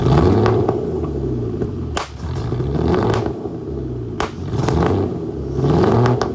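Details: Flood-damaged Aston Martin DB9 V12 after start-up, with lots of smoke. An uneven, stumbling run with irregular pops and farts and surging revs over a low rumble. Rough misfire, cause not yet pinned down.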